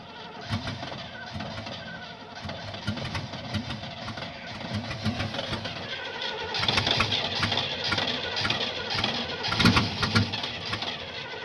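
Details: 1975 Oldsmobile that won't start: starter churns in slow, uneven bursts of about two per second, but the engine never fires or catches; cause unknown.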